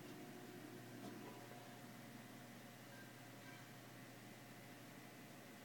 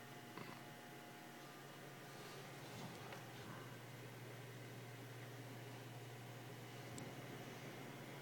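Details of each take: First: PC after putting the keys back on the case: only a soft steady fan hum, the earlier case vibration hum is gone and the machine runs fine. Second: PC case: a quiet, steady low hum with faint clicks from a vibration inside the case; the owner suspects the motherboard but the source is unconfirmed.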